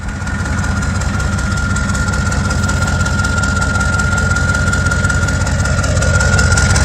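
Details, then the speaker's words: 1986 Ford F250 6.9 turbo diesel, 4-speed 4x4, started with ether after draining water-contaminated oil and fitting a new filter, somewhat smoky, low coolant: even steady idle clatter with faint turbo whistle; runs well. "this bag i think sounds good that turbo anyway"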